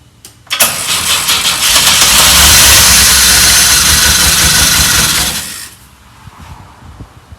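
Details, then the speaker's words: 1984 Pontiac Fiero, first start in over 30 years with a new battery and some vacuum lines removed: the engine catches and runs rough and loud for about five seconds, then dies; they still need to keep it running. "thing is running we just got to figure out how to keep it running"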